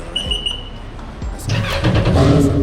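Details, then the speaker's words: Naturally aspirated Yamaha GP1800R jet ski with impeller and stage 1 accessories, start after build: engine catches cleanly into strong, even rev with no knocks or misfires; sounds very nice, healthy. "It sounds very nice."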